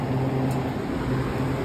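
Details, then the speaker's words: Restaurant dining-room cooling unit, previously running warm at 77 degrees, compressor kicking on after a new component was wired in; steady low hum, no rattles or squeals. Normal compressor running. "Halfway done with this, and this just kicked on."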